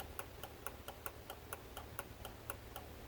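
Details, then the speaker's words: Bitter SC, ignition on, air-flow meter flap moved by hand; fuel injection pump relay clicks regularly but no fuel pump hum through the lines. Relay works, pump not running, engine won't run. "this is the fuel pump relay on a fuel injection relay and you can hear it click as I move the flap what you heard was the fuel pump relay engaging but you should also have heard a fuel running through the lines and it wasn't"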